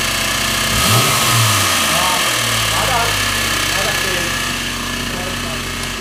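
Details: Audi A6 2.7T, used replacement engine, noise after 50 km with aux belt removed; harsh irregular metallic knocking and scraping while revving. Cause: engine backplate bolt backed out, contacting flywheel backside, probably not torqued.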